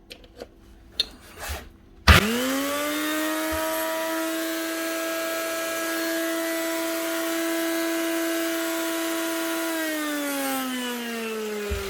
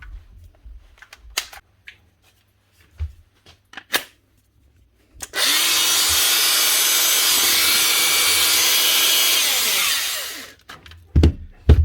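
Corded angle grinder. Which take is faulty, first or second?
first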